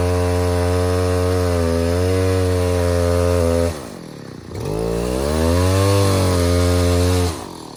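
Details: 070 clone chainsaw with 42-inch solid bar and chain, first use, cutting white oak firewood: strong steady two-stroke howl dips briefly as the bar bites, then pulls back up cleanly; running and cutting well, carburetor thought to be mostly figured out.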